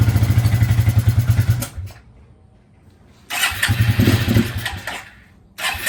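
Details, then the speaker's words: 2000 Suzuki QuadRunner 250 4x4 ATV, 603 miles, sat about 2 years, choke on, brake cleaner sprayed in airbox, weak jump pack: catches and fires unevenly under two seconds, dies, then sputters without holding idle; hard starting. "My jumper was really low on charge, just about 2%. It did start up for a bit right now."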